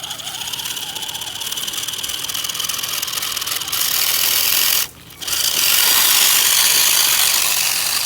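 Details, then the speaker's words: HBX Transit RC crawler with new steering servo, crawling in low range at a campsite; loud harsh high-pitched rasp and fast rattle, gear skipping from nearly stripped pinion and spur gears. "all right so we're in a low range and I hear the gear skipping which is great"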